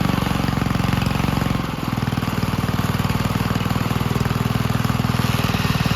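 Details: 1951 Gravely Model L garden tractor single-cylinder, running after fitting a hotter backup magneto (original gave weak spark) and cleaning an oil-filled carburetor; steady thump about three beats a second, even after a brief dip; normal running.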